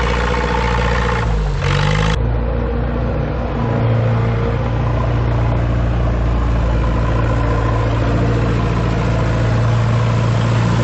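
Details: Ford 2701E 240 cu in four-cylinder diesel on a grapple log loader, sitting since 2005/2006 with 15-year-old fuel: brief start flare, then a steady, even low idle with no misses or knocks; normal idle.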